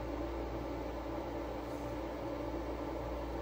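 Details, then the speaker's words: Frigidaire EFIC117-SS ice maker after repair attempt, previously would not cycle: low steady compressor hum at constant tone, no rattles or clicks, getting cold; normal cooling cycle. "It's on. It is on. It's on and it's running."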